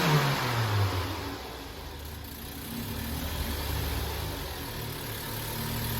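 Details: Opel Astra J at first start after engine repair, with new antifreeze added; it came in with misfiring, oil burning and burnt valves: the engine flares briefly, then settles to a steady even idle with no misses or knocks. Normal idle and rev.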